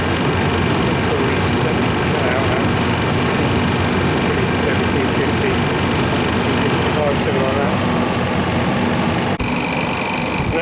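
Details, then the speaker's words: Refrigeration condensing unit whose compressor wouldn't start (burnt contactor, dirty condenser, suspected sticking high-pressure switch), condenser fan running on 240 V at 65 degrees: steady loud air rush, low hum, no rattles; air now blowing off properly, about 14.5 amps. "can actually feel the air moving off of that now as before that was actually sucking with love against the grill"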